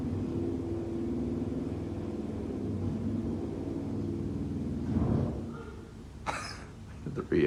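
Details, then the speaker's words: 1951 Haughton AC geared traction elevator, modernized by Anderson in the 1980s (4000 lb, 150 FPM, 3 floors), heard from outside the car: steady low geared drone with rough grumbling, uneven clunks near the end; rough noisy run, cause unclear. "Oh my god, that thing is screwed up."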